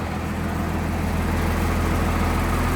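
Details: 1996 Blue Bird diesel bus idling in cold weather, cab interior items vibrating, 50 psi oil pressure, alternator charge coming up, half fuel; deep steady diesel rumble with no knocks or misses, a healthy normal idle.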